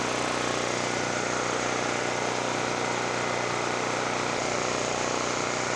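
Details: Generac GP5500 generator after a no-start repair, tested with a kilowatt meter under a 1,500 W heater and a 1,270 W heat gun; steady even drone, no misses, surging or knocks: normal running.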